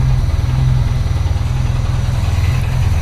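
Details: Peugeot 205 rally car four-cylinder, first start after engine rebuild with new 206/306 flywheel and clutch, firing order changed, ignition and carburettor not yet set: heavy, uneven lurching chug; rough idle.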